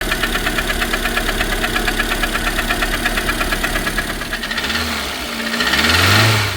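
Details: Lada Granta, 186 engine, 70,000 km, running: steady, fairly quick light knock about three per second over the idle; piston slap, teardown found scored fourth-cylinder piston, block to be bored.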